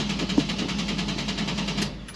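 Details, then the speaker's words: 1970 Chevelle LT1 V8 during a 0411 PCM swap: the starter cranks at a steady, even beat but the engine never fires. It ran briefly coming off the trailer, then died. Owner suspects a bad opti, ICM or coil not getting signal. "NADA so thinking that op is like really junk or the coils is not getting so I'll go grab a coil real quick"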